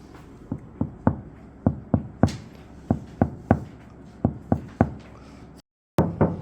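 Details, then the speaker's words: Tesla Model 3 Highland Long Range, fender tapped by hand about twice a second after aluminum damping mat applied: dull, thick thuds with no ringing; damped body panel tap. "메가리가 없습니다. 이따 방음한 후에 한번 들어보면 완전 다른 느낌. 소리가 굉장히 둔탁하고 두툼한 그런 느낌이 나죠."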